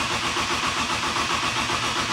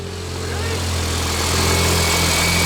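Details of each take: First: BMW E30, just back from the frame shop, fresh gas in the tank: a steady, even cranking rhythm with no catch or firing. It cranks but won't start because the cam sensor was left unplugged. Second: Turbo BMW E30 after an injector replacement, no coolant in it: an even, settled idle with a faint turbo whistle and no stumble or shake. Normal idle, never ran this smooth before.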